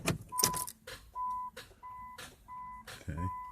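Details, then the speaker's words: 2008 Chrysler Town & Country Touring, battery terminals just cleaned: key turned gives one sharp click and no cranking, door chime pinging; owner suspects weak battery or starter engaging without turning, charge/jump next. "got that click i'm gonna see if we can put a charger get it charged or jumped and see if that will um stop the click click clicking because i was told click click clicking could be a weak battery"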